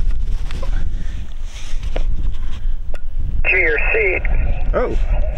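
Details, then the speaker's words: Xiegu G90 HF radio on 40 meters with an AM broadcast filter inline, near towers and AM broadcast stations: steady band hiss and faint chatter, then a strong station comes in clean and readable; clear reception. "I'm 40 meters I can I can hear people I can swing the dial"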